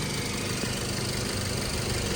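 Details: 2012 Toyota Yaris idling with headlights on: short, even idle with a smooth, steady hum and no stumbles. Charges 13.8–13.9 V, a good charging system.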